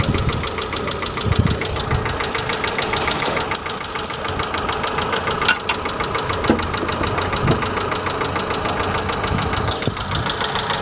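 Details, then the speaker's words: Faulty hydraulic lifter heard from top of engine: fast light sharp ticking, about three per second, at half engine-speed frequency over idle; clatter lasting beyond a few minutes after start or when warm. "неисправный гидрокомпенсатор издает резкий стук стрекот с частотой вдвое меньше частоты обороты двигателя"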